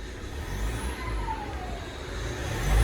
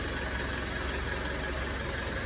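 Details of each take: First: 2016 Mitsubishi MQ Triton Athlete diesel, revved in short blips: a rising and falling turbo whoosh over the diesel rumble from a popped boost pipe; boost leak. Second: 2018 Mitsubishi MQ Triton after replacing a cracked boost pipe blamed for a whine: steady idle with an even low throb, no whistle or hiss from the turbo side, sounding much better.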